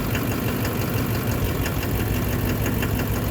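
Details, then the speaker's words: 2009 Chevrolet Duramax LMM diesel at idle in drive, brake on: steady sharp knocking about three per second continues with injector 3 unplugged; faulty injector elsewhere. "Alright, just unplug. Unplug one, guys. Still knocking."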